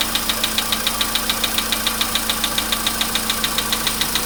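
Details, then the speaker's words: VW Polo Sedan at 99,329 km, cold start, about 15 °C: sharp, even metallic ticking like an anvil, about 140 per minute at steady idle. Engine knock of unclear source that fades as the engine warms over 5–10 minutes. "Такие вот звуки страшные. Это прям вообще. Чуть-чуть, я не знаю, как наковальня."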